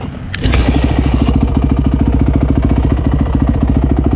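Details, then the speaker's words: Yamaha YZ450F dirt bike after project build, quick ride around the block, audio from a chest-mounted camera; deep, fast, even single-cylinder thumping at steady throttle with no rattles or misfires; pulls clean and sounds healthy. "It sounds so good"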